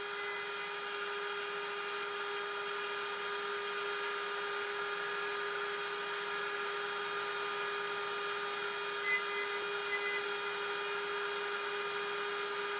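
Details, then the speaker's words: Genmitsu 3030 PROVer Max desktop CNC with 1.25HP Makita router replacing the stock 300W spindle, same aluminium G-code: even high steady router whine, no chatter or rattle; vibration gone, smooth stable cut, much cleaner finish. "it sounds much better I can't hear the vibration anymore the cut looks much cleaner"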